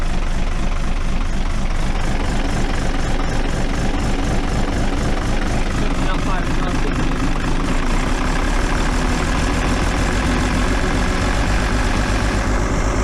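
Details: Cummins diesel bus engine, struggling to start and low on power, cold November start after long cranking with lift pump help: heavy, loud uneven chuffing idle about four pulses a second, smoky exhaust of unburnt diesel.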